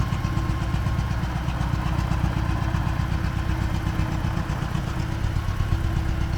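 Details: T-40AM tractor diesel idling in about -14°C after a month standing, warming up before a drive to test the differential lock; steady knock about four per second under the clatter, engine knock with no known cause yet.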